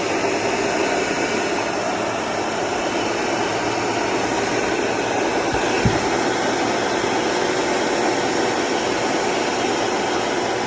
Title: BMW N55 535i XDRIVE ATC 35L TRANSFER CASE GRINDING NOISE INPUT SHAFT BEARING